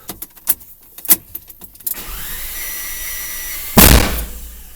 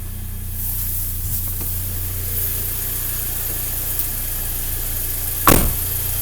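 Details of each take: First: Audi A3 after new fuel line work, earlier codes for airflow meter and fuel pressure regulation; after clatters the starter spins fast and even with no compression pulses, then a bang; no start, plugs 1, 3, 4 wet, 2 dry. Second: Audi A3 first start after repair (timing belt had snapped but valves not bent), fuel and oil primed: starts almost instantly into a steady, even idle with a deep hum and no chain rattle or knocking, one brief bump.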